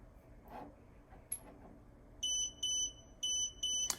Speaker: DVR monitor where will beep continuously for the amount of month of amount of time that is set on settings typically for about two minutes to alert the driver to report a camera down